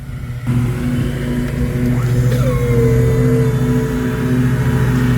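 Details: Battery-powered man lift after cleaning a bad electrical connection and applying dielectric grease, first ride after repair: steady, even motor hum with a smooth whine settling as it climbs; lift motor sounds healthy.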